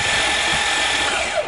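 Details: Hydrolocked van with intake manifold off, cranked to blow water out of the cylinders: fast, smooth, even whirring with no compression pulses, the sound of an engine with no compression; starter motor good.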